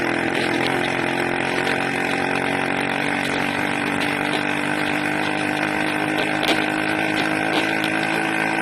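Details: Harsh, raspy 80cc two-stroke buzz held at high revs, rough and unsteady; owner suspects a carburetor or intake manifold leak, unconfirmed.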